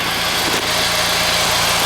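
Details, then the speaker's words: 2012 Nissan Juke turbo with a rebuilt CVT, which developed an axle-like noise after 500-600 miles: quiet, steady idle with a soft even hum under hiss, no knocks, ticks or misses, no leaks; engine sounds healthy. "other than that the vehicle runs really good I mean it's quiet you can hear it I don't have any leaks or anything"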